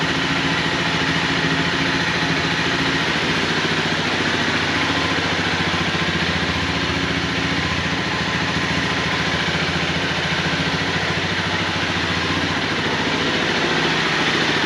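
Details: 2011 Honda CBR250R, 7,500 miles, long sitting, after new battery, new fuel pump and cleaned tank and fuel system; starts and holds constant even idle, no misses or knocks: normal idle.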